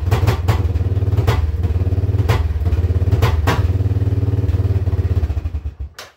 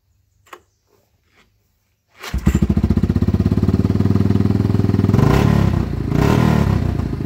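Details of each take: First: Yamaha Wolverine ATV, battery dead and charged, exhaust full of holes: single-cylinder idle thumps unevenly with heavier stumbles, smoky, then dies; rough idle traced to a bad switch, unplugged to fix. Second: Yamaha Wolverine quad after air filter, carb clean, new spark plug, new battery, and unplugging a bad switch that caused rev-limiter-like cut-out: fires after a pause, runs with steady even thump and revs cleanly; running good again.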